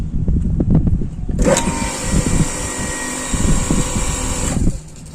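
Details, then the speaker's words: APC York YRK 01 automatic pump control fitted to a water pump in place of a pressure or flow switch: steady hum starts cleanly with no relay click, runs about three seconds, then stops; normal start. "enak sekali enggak ada cetek ya karena kan suaranya bukan bukan mekanis ini teman-teman relay ya tidak ada cetek"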